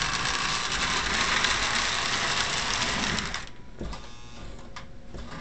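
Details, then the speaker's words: Lionel 602 Seaboard NW2 switcher after a rubber-band fix to squeeze its loose frame: fast buzzing rattle about four times a second while the motor runs, then it drops away; still shaking, partial fix. "at any rate that seems to be somewhat of a fix let's see let's just run it i see it shaking"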